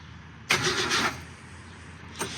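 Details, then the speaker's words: Car that sat almost 20 years, new ignition switch fitted, first crank with the key: short half-second crank and brief blip, no firing; crank no start from fuel starvation, clogged line keeping fuel from the carburetor. "Okay, so it cranks with the key. I really want to see if we got some spark, which now I actually need to hook that up so I can stand here and watch that."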